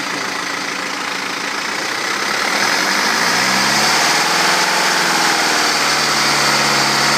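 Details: BMW 320d diesel, almost 180,000 km on original timing chain, revving 0–3,000 rpm: rising drone with thin metallic chatter on top; timing chain wear suspected, owner unsure whether to worry.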